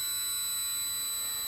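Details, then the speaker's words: Losi 1/4 Promoto-MX RC motorcycle switched off at the controller first: a steady, piercing, high-pitched squeal while the ESC brakes the heavy flywheel to a quick stop. This is normal power-down behaviour. "if you turn it off on the controller first you can hear it actually starts breaking and this will stop the flywheel way quicker than you're just powering it off and letting it run"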